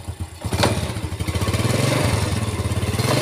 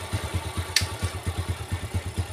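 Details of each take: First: 4-stroke motorcycle that ran rough only in gear, after reassembly with a crushed cage found as the cause, tilted so clutch plates get oiled; small catches on cranking, then even idle with light blips, no rattle or harshness in gear; normal idle in gear, fixed. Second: Yamaha 4-stroke motorcycle, smooth in neutral: rough, uneven clattering pulses of about eight a second over the idle once in gear, from the right side of the engine.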